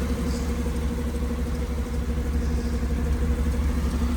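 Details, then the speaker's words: 2005 Mercedes-Benz SL500 V8, about 83,000 miles: steady idle with low rhythmic whoop pulsing two to three times a second from passenger side; not pulley or power steering related, suspected exhaust manifold leak on that side. "I'm not sure what that sound is. I was just making sure it wasn't pulley related. Didn't have anything to do with the power steering pump or any other component in the front."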